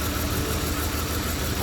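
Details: E46 BMW 325xi with P1349 misfire code and cylinder 4 fuel cut-off: rough, lumpy idle with an uneven low thump; coil and spark test good, and one cylinder is dropping out from weak compression.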